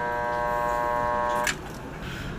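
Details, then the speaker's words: Water pump motor plugged in hums steadily but won't spin, cut off with a click after about a second and a half; failed start capacitor. "ganito rin ba yung problema ng water pump niyo kapag isinaksak niyo hindi umiikot yung motor ng water pump umuugong lang siya"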